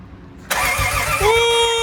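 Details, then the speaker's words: Lexus IS300 with turbo 2JZ, first crank after engine rebuild and rewiring, range switch bypassed: starter whines with even compression pulses but never fires; cranks, no start, spark not yet checked. "just happy to see that baby turn again doesn't sound bad either man that's great"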